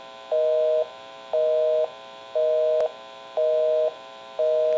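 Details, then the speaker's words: 2500 desk telephone after repair at its final checkout: a steady two-tone busy signal, half a second on and half off, when calling a busy number, so dialing out works normally. "we can give you some dial tone we'll call my number and it'll be busy we'll make that call"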